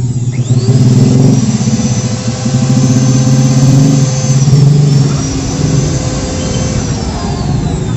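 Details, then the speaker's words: Electric wood planer that overheated after armature replacement, fixed with four shim layers between loose body halves: clean steady high whine, coasts down evenly, light spin, body stays cool; normal running. "mantap suaranya Udah halus nggak ngigau kayak tadi lagi dan putarannya juga udah enteng banget"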